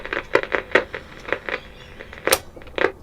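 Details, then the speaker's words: 1957 Bush VHF64 valve radio during capacitor restoration, on the long-wave/medium-wave bands: irregular sharp crackles and pops several times a second. It is quiet on the phono input. Radio crackling fault. "so if I put it on long ways we have crackling medium wave it's quite bad"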